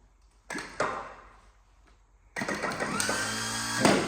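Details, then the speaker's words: Chieftain MK10 tank starter motor, removed from engine and tested on a jump pack: clunks, pauses, then whirs up slowly with dragging uneven spin, delayed and not engaging positively; faulty starter. "Oh, that sounded bad. Seems very delayed, doesn't it? It's just kind of a... It's like it's stopping and then doesn't like positively hold him out, does it?"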